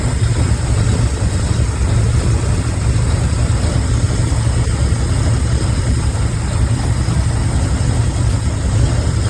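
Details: Pontiac Grand Prix G-body with cammed 305 small-block Chevy V8, after fixing random misfire (fuel filter replaced, heat-burnt wire found): deep, steady idle with even low rumble, no skips; normal idle.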